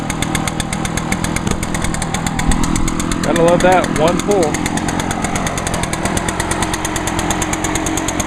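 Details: 2011 Echo PB-500T backpack blower, 50.8cc two-stroke, used all winter and run the day before, started after choke and five primes; crisp, fast, steady buzz without surging or sputtering; running healthy.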